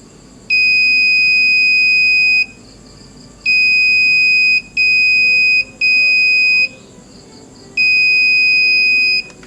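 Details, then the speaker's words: Aiwa CSD-SR545 stereo, multimeter buzzer test of headphone socket switch: loud steady beeps at pin 2 of speaker output socket, left channel connection good; pin 4 silent, switch likely dirty. "Pin nomor dua pada soket output speaker terindikasi bunyi beep nyaring. Ini adalah sambungan ke speaker saluran kiri."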